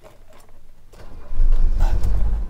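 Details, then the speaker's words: 1983 Mercedes 300D diesel, said by a mechanic to have a dead engine (suspected bad piston): starts quickly after glow into an uneven, lumpy clatter with dropped beats, missing on one or two cylinders. "actually fire it up quite quickly which you can see it looks like it's missing on one or two cylinders here"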